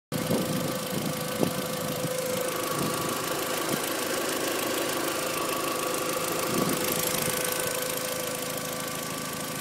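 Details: VW Jetta mk4 1.8T petrol engine idling with a light, uneven clicking over a steady hum and faint whine; owner unsure of the cause.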